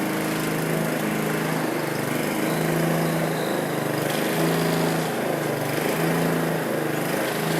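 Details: John Deere 14SE mower with a Kawasaki FC150V single-cylinder engine, first run after sitting, blade unloaded; pitch swells and sags about every couple of seconds. The governor is hunting at no load; the owner says it does not hunt under blade load.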